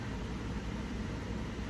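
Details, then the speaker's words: Mercedes Sprinter van with a dead battery, shut off and won't start: a steady, even whoosh with a low hum as a fan keeps running with the ignition off. Cause unknown. "yeah so something's going on with my van um the battery is dead but if you guys can kind of hear that fan noise"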